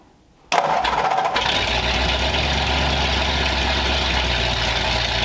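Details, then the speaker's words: 1932 Ford Roadster engine's start in the car, with newly plumbed fuel system and modified headers: starter catches and it settles at once into an even, low rumbling idle, no misses or knocks; a fuel fitting was leaking. "all right we got fuel it runs it idled right away"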